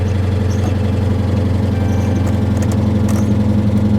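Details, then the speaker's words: 2022 Honda Civic Sport at salvage auction, started with a very dead battery, possibly ingested water: loud, lumpy idle with heavy low drone and rough pulse near 220 a minute, not quieting down; abnormal engine noise. "uh that battery's just really really dead really really dead and that engine is making a lot of noise"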